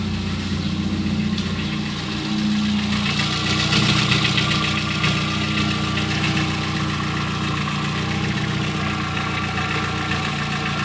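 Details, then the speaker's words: VW Gol 1.0 8v, 120k on odometer, idling ~10 minutes, nearly warm, fan not yet on: light uneven clacking about four per second, louder the hotter it gets, vanishes on throttle; something seems loose, cause unconfirmed; knocking noise at idle. "Barulho varia de acordo com a temperatura. Quanto mais quente, mais barulho ele faz."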